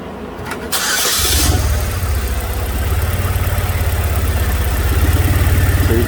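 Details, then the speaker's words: 2006 Chevrolet Malibu 2.2 Ecotec four-cylinder, flashing MIL, P0300, cylinders 1 and 4 not contributing, new plugs no help: lumpy, uneven idle with steady stumble; ECM sends 5 V pulses, testing confirms failed ignition control module. "see i got two five volt pulses so the ecm is telling the ignition control module to fire the coil but either the module has failed or the coil has failed"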